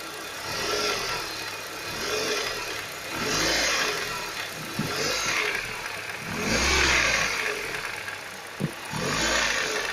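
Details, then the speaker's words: Ford Focus 1.6 8-valve, heard a year later after camshaft, hydraulic lifters and tensioner were replaced with no change: pebble-like rattle following repeated revs, appearing on releasing throttle, absent under load; owner suspects piston pins or pistons, not chain or lifters. "я думаю что все таки это связано с поршневой группы может быть или пальчики бракуют либо пашня колотится под нагрузкой звука нету как газ отпустила начинается такое дребезжание"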